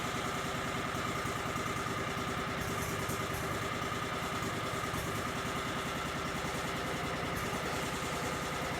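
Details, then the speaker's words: Cub Cadet 3205 just after charge pump rebuild with new gerotor assembly, idling while controls are slowly moved to bleed power steering and hydraulics: faint constant whine and hiss over the engine; air in hydraulic system. "Sure the power steering gets bled. There we go. Oh, you can hear it. You can hear the air."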